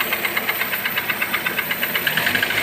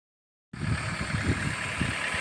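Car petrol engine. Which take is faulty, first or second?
first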